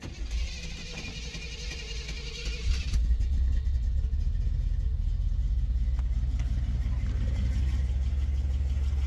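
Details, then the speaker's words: 1972 Chevrolet Monte Carlo V8, started after 7 years sitting, rough rumbling idle with a solid lifter tick from the passenger bank; a low-end knock appears once warm. "now you can hear it she has a pretty solid lifter tick coming out of the passenger bank"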